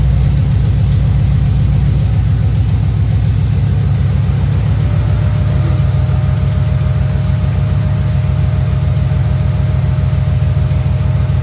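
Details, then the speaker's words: 1994 Camaro Z28 V8 idling after alternator and serpentine belt replacement: even pulsing idle with a faint constant whine, belt squeak gone, slight exhaust tick remaining; running smooth, normal. "That thing, you don't hear that belt squeaking no more. You still hear the exhaust a little tick, but other than that, that thing, woo! That thing smooth again, baby."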